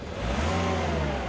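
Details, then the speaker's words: 2003 Nissan X-Trail T30 2.2 dCi diesel, after fault code P0120 accelerator no-rev issue, with bypass fitted and codes cleared, starts and revs up smoothly and cleanly, sounding healthy. "So I can start it up, and she revs up, and"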